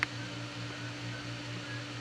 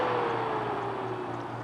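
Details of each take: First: Aldi Adventuridge iceless electric cooler after the fan stalled on the medium setting and was turned off: a low hum with a faint, slow pulse that continues even when switched off; fan pulsing while off. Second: Adventuridge (Aldi) Peltier iceless electric cooler on 120 V set to Eco: soft fan hum whose pitch sinks as the fan slows way down to quieter, lower-cooling operation; normal.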